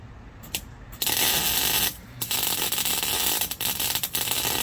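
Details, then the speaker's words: MIG welding without shielding gas (gas bottle ran out) on a homemade fuel-pump lock ring tool for an '04 Honda Civic DX; harsh irregular crackling and popping bursts with heavy spatter, producing poor welds. "that my friends is what happens when you weld without gas i'm hoping that it will be strong enough"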